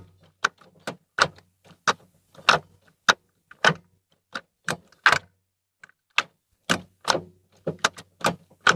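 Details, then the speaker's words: Ford Fiesta Zetec Rocam, after repair of gearshift noise (previously cracking, worst into second), microphone at same spot as before test: crisp, quick clicks through the gates, no grinding, squeak or drag; shifting back to normal. "ok pessoal então nitidamente melhorou viu melhorou bastante mesmo barulho voltou ao normal além gato normal da Marcha Voltou ao que era antes"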